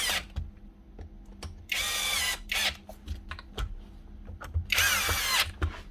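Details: Refina plaster mixing drill (possibly Alfra/Eibenstock type), old and dirty, after repairing faulty lead and switch and reconnecting live and neutral: short trigger bursts give a clean, steady motor whir with no grinding or cutting out; healthy motor.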